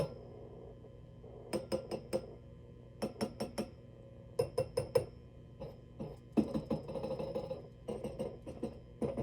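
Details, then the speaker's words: Marshall DSL100 tube amp, recorded close to the speaker: irregular bursts of glassy clinks and crackles over a low steady hum; power tubes audibly defective and needing replacement. "but um aside from the fact that these tubes are audibly defective listen to that take a listen"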